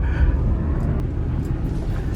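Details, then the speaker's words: Road test after transfer case repair (case had exploded while driving): steady low road rumble with no clunks, grinding or whine; brakes and everything working so far, driveline sounds healthy. "seems to be all right it breaks everything it's working so far"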